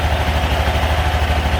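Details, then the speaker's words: Honda Genio scooter idling just after CVT cleaning and reassembly: smooth, even low throb, belt not flapping, no slap or rattle; drive side quiet and healthy, normal idle. "So kita nyo yung natin, belt natin, hindi siya pumapagpag. Meaning, okay."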